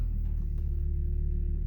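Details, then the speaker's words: 2004 Volvo XC90 power steering pump groaning as the wheel tightens at the same consistent spot each way, steady low rumble with faint hum; owner suspects seized strut tower mount bearings, as on past cars. "you hear the pump a little bit here it's a little bit tight here you passed it same thing on the other side but seems to be always consistent in the same spot"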